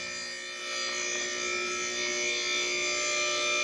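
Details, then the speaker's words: Newly replaced lift motor running: steady, even hum with constant pitch, no knocking or grinding; much quieter than before, sounds good. "That thing sounds good. Oh, about to click. Oh, that sounds beautiful."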